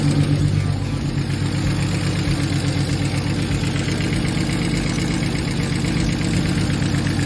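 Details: BMW E46 turbo, first start, weak cranking: idle carries a rough regular knock of about three beats a second, like a knock or exhaust leak; it persisted after retightening the exhaust, and was later gone.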